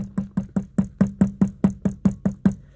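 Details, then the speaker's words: 2011 Ford F150 SVT Raptor steering wheel, buttons removed: sharp plastic-on-metal taps about five per second come from the wiring cable knocking on its bushing, and the noise stops when the cable is lifted away; the fix is taping it. "coming from this bushing and this cable if I lift the cable up just gently away see it's gone and if I bring it back it's back"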